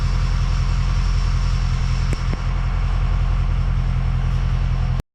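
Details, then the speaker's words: Ford 6.0 Powerstroke diesel after replacing number 6 injector (had low injector circuit code); deep, even idle clatter with no skipped beats, slight belt squeak from coolant-contaminated belt; no miss, healthy idle. "we're going to start it up and let y'all listen to it it don't miss"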